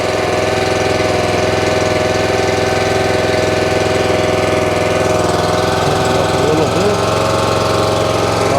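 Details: North Star 3000 psi pressure washer, Honda engine, CAT 5DX40G pump resealed with valves replaced for vibration and low pressure: steady low-throttle engine drone, pump smooth, no knocking or surging; healthy.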